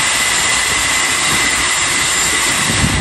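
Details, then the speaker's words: Airliner leading-edge flaps extending at flaps 1 on the ground: a steady, loud airy hiss with no knocks or grinding as bleed air drives the pneumatic motor moving inboard and mid-span flaps via rods, normal extension. "that hissing sound you hear is the bleed air blowing into the pneumatic motor"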